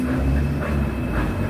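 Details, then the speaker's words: Brastemp BWH15 15 kg washing machine after fixing a loud spin noise that was not the bearing, test spin: steady low hum and rumble with only mild vibration noise and no loud banging; the washer spins normally. "a gente já percebe que já barulho diminuiu muito, né? Ela tem, claro que ela tem um barulho, né, pela própria vibração da máquina, mas aquele barulho alto onde incomodava até já"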